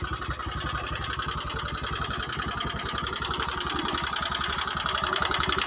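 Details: Honda Megapro New 150cc before repair, engine smoking, weak and fuel-thirsty: rough, uneven idle with loose irregular pulsing about four beats a second and clattery top noise, worse when hot; worn piston, cylinder and valve guides.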